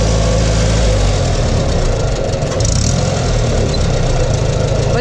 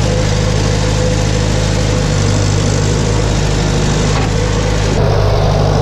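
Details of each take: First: 1962 Farmall 140 tractor, restored after 10+ years sitting in woods, engine loping and stumbling with uneven firing while driven in low gear; spark plug wires were connected to the wrong cylinders, causing the misfire. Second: 1962 Farmall 140 tractor revived after over 10 years sitting, run after correcting ignition wiring that had a cylinder firing wrong; steady, even low rumble at fast idle with no misses or knocks, engine now sounds good.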